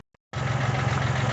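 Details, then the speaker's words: 1980 Kubota (Sunshine L1-20) diesel tractor, not run for a long time, after warming up for a while: idle settles back down to a low, even speed with a steady clatter; normal warmed-up idle. "there it's warmed up after a while it idles back down to this speed here"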